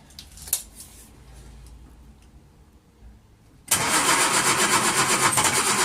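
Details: 1939 Hillman with AC fuel pump trouble, first start after two days of trying, carburettor hand-primed, full choke: quiet lead-in, then it catches and settles into a steady, even beat of about four per second. Normal start and idle.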